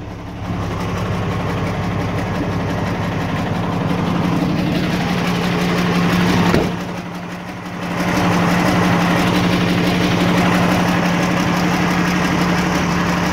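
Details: 1989 Ford Cargo diesel truck, first start after sitting one month, fired right up while checking battery; settles into steady low idle hum, speed briefly dips then recovers evenly; idling normally.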